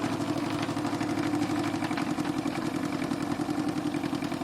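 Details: Renovated Stuart D10 double-cylinder steam engine for an RC live steamboat, with new Teflon cup pistons, run through its speeds: even, rhythmic chuffing over a soft mechanical hum, no knocks or stumbles; normal running.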